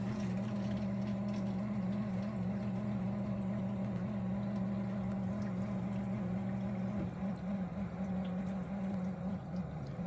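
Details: Miele G6625 dishwasher bought April 2018 (about 7.5 years old), filled with water; a low, rough grinding hum from the circulation pump motor at the bottom. Filter, spray arms and non-return valve were clear; the owner suspects debris or failing motor bearings.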